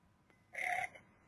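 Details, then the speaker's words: Failing hard disk drive sound sample used to demonstrate AR modelling: a single squeaky chirp of about a third of a second rising out of near silence, an abnormal transient such as the pitches and cracks heard from faulty hard disks. "from the sounds of the fa hard disks you can hear obvious transients like pitches cracks and Z the AR modeling error indicates the transience clearly"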